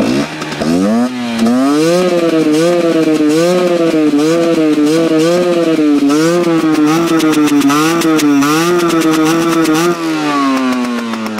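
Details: Husqvarna WRE/SM 125 two-stroke that stutters and won't run at high revs. It revs with a rapid surging waver, about three pulses a second, then settles to idle.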